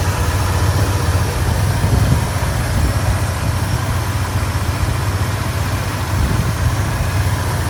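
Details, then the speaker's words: 1986 Ford F150 XLT Lariat, 5.8 351W HO V8, C6 automatic, exhaust possibly glass packs: deep steady loping rumble through free-flowing pipes, no knock or miss; healthy idle. "Um exhaust, as far as I know, is just a couple of uh they might be glass packs or something. It sounds pretty good."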